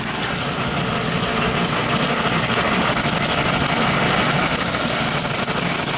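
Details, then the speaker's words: Tractor at 1500 rpm pulling a Woods 15 ft brush hog on golf course grass, making wide turns with no rumbling or stress on the vertical drive. Steady, even low drone, no knocking or grinding. Normal operation. "you don't hear the rumbling of the turn there's no stress on that that vertical pulse right there that's what we're trying to protect"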